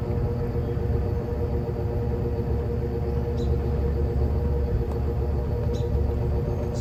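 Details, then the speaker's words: Evenflow by Robeson 20-inch box fan, needs cleaning, recorded from the back on low speed; steady low rumble with faint constant hum, no ticking or scraping. Running evenly and normally on low. "the operating sound on low. Put it to medium."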